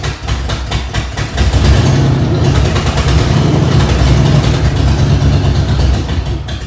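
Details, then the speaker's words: Newly installed Ford 302 V8 in a truck, first startup; loud deep idle with uneven, lumpy beat and slight puffing pulse; rough idle, owner suspects an exhaust manifold needing tightening is leaking and partly causing it, not confirmed. "well it started up uh sounds like i got to tighten up one of my exhaust manifolds over there and uh pull it out and kind of go through it make sure everything's all right and i think that part of that admissions uh to maybe kind of making it idle kind of funny there"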